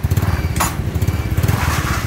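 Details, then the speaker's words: Wave RS100 single-cylinder engine after repair of a seized crankshaft, idling with a steady, even putter and no knock or rattle; a slight exhaust leak is noted, and the engine now runs smoothly at normal idle. "Động cơ hiện đang hoạt động trơn tru rồi các bạn. Không còn tình trạng kẹt trục khuỷu nữa."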